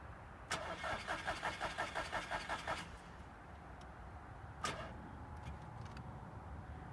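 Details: Scirocco that cranks but won't start or stay running: slow, laboured cranking about three strokes a second for two seconds, then it quits without firing as repeated cranking drains the battery.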